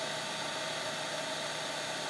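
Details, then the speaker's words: Wurlitzer-type player-piano lock-and-cancel valve with its inline bleed cup replaced by plain tubing: a steady airy hiss with a faint tone near 600 Hz; excess vacuum between upper and lower valve makes it malfunction. "what it has to do with is the fact that there's too much vacuum in this line right here from the upper valve to the lower valve"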